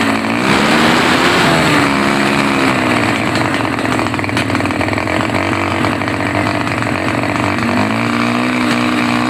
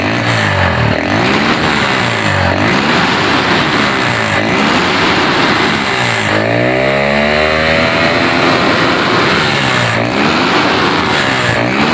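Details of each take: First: Honda GL Neotech motorcycle running but stumbling under throttle; revs rise and fall unevenly, note wavering and catching at low and high throttle alike; cause not yet confirmed. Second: Honda GL Neotech motorcycle after repair of its stumble under throttle; engine revs up and drops back cleanly in repeated blips, no stumbling or misfire at any speed; normal revving.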